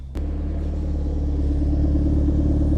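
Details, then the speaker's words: Forged Ford RS turbo four on stands, just started on its new map, still cold at 75°C coolant with dripping exhaust condensation: steady, even low rumble with no knocks or misses, a clean smooth cold idle; oil pressure good. "So, that is sounding really nice. Bit of condensation there, everyone. Yes, dripping condensation cuz the car is still cold."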